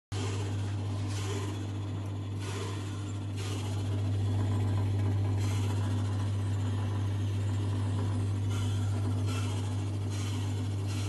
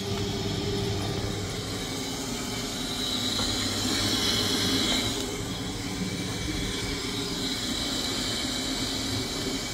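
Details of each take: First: Potterton Suprima gas boiler, customer's recording before service: loud, steady low hum with rough rushing, bubbling (kettling, whistling, wheezing heat exchanger); fixed by servicing, stripping and flushing the heat exchanger. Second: Potterton Suprima boiler after service, heat exchanger flush, fan oiled and burner cleaned, system refilled and bled, firing up: steady even burner rush with low hum, no kettling or bumping, firing normally.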